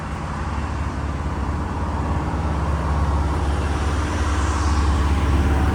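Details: Diesel fire sprinkler pump on test, isolation valve closed: a deep, steady diesel drone holding an even beat as it settles under load, no knocks or misses; the engine is healthy.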